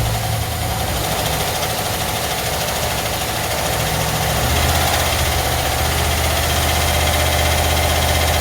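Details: Chevy van with check engine light on, idling: a fairly regular rattle riding over the engine beat, a bit under three per second; abnormal noise, source unclear.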